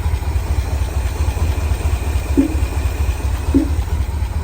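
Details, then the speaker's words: International Harvester Loadstar crew cab truck, parked 30 years, first run: rough low idle with occasional hollow doink, not in time with engine, stumbles when it happens; owner suspects something under valve cover or slight backfire; intermittent knock at idle. "something sounds interesting occasionally see a little doinking noise yeah you see that huh that is some interesting sound I don't know what it"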